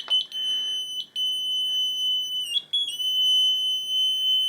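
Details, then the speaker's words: Clubiona ME 16C 4x360 line laser's detector held close to the laser: steady high-pitched tone, continuous with brief cutouts. It alarms constantly and only works properly farther away; cause unknown. "kada se nalazi blizu samog lasera, dobit ćete ovaj zvuk. Tek kada odete dalje, onda se tek dojavljivač počne ponašati kao dojavljivač"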